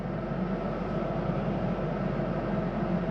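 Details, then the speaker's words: 2022 Highland Ridge Mesa Ridge 354MBH RV furnace, heard from the hallway. After the heat cycle the blower keeps running for a few minutes before shutting off. Steady, even low rushing hum with no rubs or squeals; normal run-on. "You hear that as I come down the hallway, continuing to run for a few minutes."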